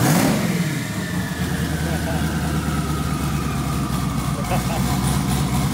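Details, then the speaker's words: First startup of a twin-turbo LS-swapped Camaro after three months of work: engine fires and settles into a deep even idle with a faint rising turbo whistle. Normal startup. "so i'm going to give you guys the turbo noise because i know that's what everybody's here to see anyway so go ahead and fire that thing up dude it sounds so good do it"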